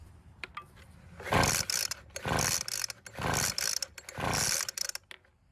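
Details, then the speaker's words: Weed Eater leaf blower (two-stroke) that won't start: four rasping pull-cord cranks about a second apart, never fires; suspected flooded, retried without choke; cranks but no start. "Well, it didn't even try and start, so I'm guessing it might be flooded, so we'll try it again, but this time without the choke."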